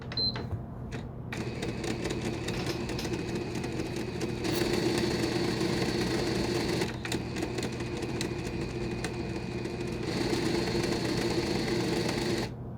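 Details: Five-week-old PS5 model CFI-1216A disc drive with an object pushed into it, won't load or eject discs: quick repeated mechanical clicking and rattling, about four a second, as the drive strains to load or eject; disc drive jammed by foreign object.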